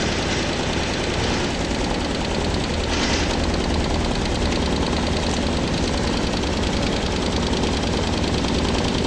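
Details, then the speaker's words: Honda Airblade 150 scooter at idle during a tune-up check: rough, chattering rattle over the engine beat near the water pump area, judged a bad noise; cause not confirmed. "So yan. Hindi magandang ingay yan."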